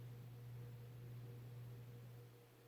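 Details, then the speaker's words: Vintage late-70s/early-80s Hunter Robbins & Myers Original ceiling fan, model 22274, two-speed shaded-pole oil-bath motor, on low: quiet steady low hum, no ticking or scraping; low speed is very fast, characteristic of these older two-speed models, normal. "so this one's low speed is really fast and I do know that that's a characteristic on these is that on these two older two-speed ones is that they're very the low speeds are very fast"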